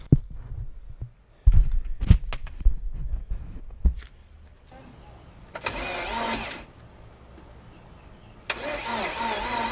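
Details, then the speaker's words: 1984 Porsche 944 rebuilt after a shredded timing belt bent the valves, on its first start attempt in two and a half years. Fuel pump barely heard; slow laboured uneven cranking, no fire. Possibly out of fuel, unconfirmed. "I mean at least it turned over I didn't hear any like really major clattering but it's cranking really slow so let me see what I can do here"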